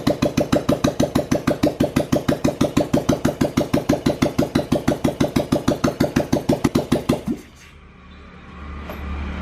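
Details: Rebuilt old Royal Enfield Bullet single-cylinder engine; even, loping thump about three beats a second, steady and unbroken until shutoff. Normal idle.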